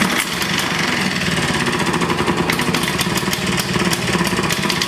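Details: Vintage Flymo hover mower, just reassembled, possibly flooded, pulled without choke: fires and settles into a fast, even two-stroke buzz with crisp regular firing; normal running after start, carburetor probably not adjusted right.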